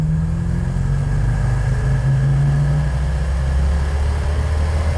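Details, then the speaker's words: Plymouth Road Runner V8 after budget power upgrades, floored from low speed on the road: the deep V8 note sags and then climbs slowly and heavily. Engine bog on wide-open throttle. "Are you going to punch it? >> I can't take it anymore. Oh, bog."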